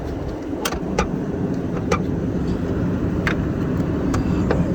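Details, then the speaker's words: 2003 Lexus LX470 V8 with 5-speed automatic, built overlander, idling with the hood open: steady even low idle with a few sharp outside clicks, no knocks or misses; engine sounds healthy. "Lexus, a little different than a Land Cruiser. So the motor sounds healthy."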